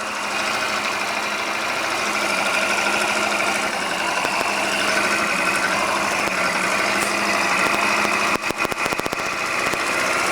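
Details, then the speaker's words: Scooter engine after repair with new crankshaft and new piston kit, replacing a factory-defective piston with skewed pin that knocked: smooth, even idle, only soft gear rustle, no knocking; normal. "вот таким должен быть звук полностью исправного скутера если стоит новый коленвал новая поршневая никаких звонов стуков в двигателе нет"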